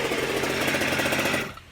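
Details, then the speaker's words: G290RC two-stroke engine on a Goped Super Xped, 2 hours on the engine, Sikk Toys pipe with silencer fitted for more back pressure, unloaded: high even buzzing rattle building up then cutting back, runs clean; normal running. "Personally, I think it sounds better with the silencer because it has a little bit more back pressure and you can just hear it kind of like building up in there, which is, I like this sound better."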